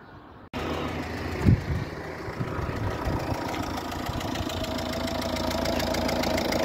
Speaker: Uh it has uh the symptoms of a leaky uh fuel injector. Now I'm going to turn on the engine and uh let you hear the sound of uh leaking injector of Ford